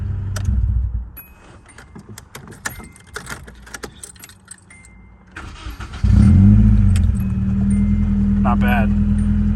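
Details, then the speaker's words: Nissan 240SX unused for about 3 months, after fuel injector replacement, earlier missing at idle, stumbling on throttle and smoking, thought to be running rich: cranks, catches and settles into a fairly even idle with faint unevenness; idles much smoother after running a while. "not bad at all so the car actually idled pretty good now um after letting it sit and kind of just work out I was giv a little bit of pedal um it definitely idles a lot smoother than it did initially"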